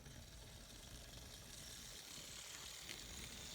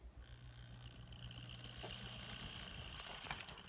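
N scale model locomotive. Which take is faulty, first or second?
second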